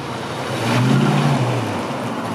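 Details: 1965 Ford Mustang coupe, rebuilt 289 small-block V8 with cam, 4bbl, electronic ignition, dual exhaust: deep lumpy burble, quick throttle blip pulls up cleanly and settles back; healthy, strong engine.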